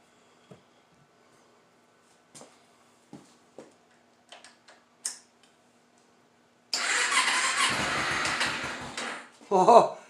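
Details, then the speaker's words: Dusty 2011 Kawasaki Ninja 250 with a dead battery, recharged: scattered clicks, then a strained three-second crank before it catches briefly; weak battery drains on cranking, hard start. "it's draining that battery pretty good let's see if a jump pack will work"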